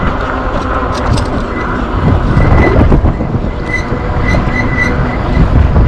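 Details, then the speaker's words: ENGWE Engine Pro e-bike, one year and 1,200 km, riding: faint high chirps recurring under road rumble, squealing from rear Logan hydraulic disc brake pads; fixed by replacing the pads. "take out this pin and then to his two screw and then you can slide the brake pad and put the new one and then no more squeaking that's it"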